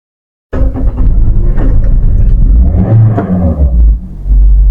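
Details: Car in neutral (N) with key start; starter catches at once, engine fires and settles into a steady idle rumble; clean, healthy start, since it only starts in P or N.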